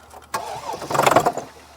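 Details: 2014 Mercedes GL350 3.0 L diesel, cranks but won't start or dies after 2–3 minutes, cranked with starting fluid sprayed, battery charger connected: brief ragged catch that stumbles and dies; engine nearly starts then stalls, cause not yet confirmed.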